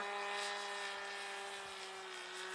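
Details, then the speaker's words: RC plane glow engine in flight with a loose muffler: a steady high-pitched drone with a hollow, echoing edge. The muffler bolts are to be Loctited to the block. "just loate the muffler to the block huh yeah"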